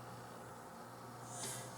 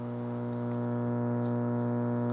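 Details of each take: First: Sansui 881 receiver after tightening ground braid and cap ground screws, on unused source: only faint speaker hiss, no hum in either channel; normal quiet output. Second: Sansui 881 receiver under repair, DC offset at both speaker outputs: constant low buzzing hum with overtones from right channel, left silent.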